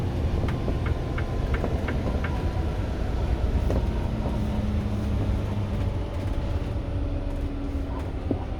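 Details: 2022 Renegade XL while driving: light regular knocks about three a second over heavy road rumble; cause unknown.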